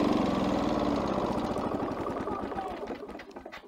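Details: Victa Power Torque VE40 two-stroke mower engine, fuel tap on and primed: catches and chugs about four beats a second, then firing fades unevenly and dies within seconds; spark present, cause being diagnosed.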